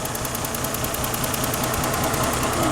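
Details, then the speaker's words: Lexus ES 300 with stalling and no scan tool communication, TPS 5 V reference present: cranks and barely runs, uneven lumpy idle with irregular low thumps and slight shake, about to die; cause still unknown. "so it kind of runs not really"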